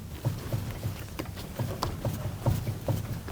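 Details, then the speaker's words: 2002 Saab 9-3 SE, front-wheel drive: irregular dull clunks, about two per second, as the lower ball joint is levered; worn lower ball joint, whole lower control arm to be replaced since rubber components are also failing. "The lower control arm is bad. There's some clunking going on right here, and I'll demonstrate on this ball"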